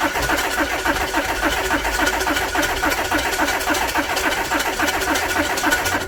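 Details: 2010 Audi A4 2.0 TDI after a high-pressure pump replacement and fuel system priming: steady, even cranking at about 3.5 beats a second for six seconds, never firing. The owner suspects a clogged fuel filter giving too little fuel, possibly a damaged new pump.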